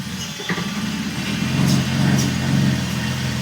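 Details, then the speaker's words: 1980 BMW 528i, first start after sitting since 2017 on a temporary fuel system, runs rough and surges and sags, stalling unless the throttle is held; fuel pressure isn't being held, and the owner guesses dirty injectors. "Let go of the gas. Okay. So we're not keeping pressure going for some reason."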